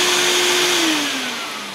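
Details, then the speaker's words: Hoover SC364 Vogue 1300 vacuum cleaner running with the hose end blocked, old bag and filters still fitted: whining motor tone drops steadily in pitch with strong airflow hiss, bag-check indicator illuminating; motor sounds healthy, some air rushing heard. "okay that sounds fine that sounds pretty sweet so you know I'm uh quite happy with that obviously it's going to need I heard a bit of air rushing"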